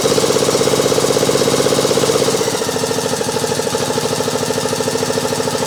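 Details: Craftsman YT 3000 lawn mower running properly with a steady, even thump and no misses or knocks. It needs full choke and a little throttle to start, and some oil is burning off the muffler.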